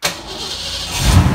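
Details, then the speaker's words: Fox body Mustang 5.0, cold start after sitting overnight with the repaired rebuilt ECU: brief crank, clean catch, then steady even cold idle with no throttle input, idle slowly dropping; healthy. "all right cold start we're sitting overnight let's see how it does with the new computer"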